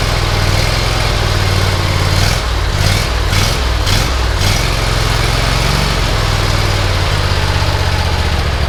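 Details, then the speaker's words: Bush Hog zero-turn mower engine after engine work and carburetor attention; settles into a smooth, even idle with steady pulsing, no misses or knocks; normal idle. "thank you that sounds great carburetor works perfect oh perfect"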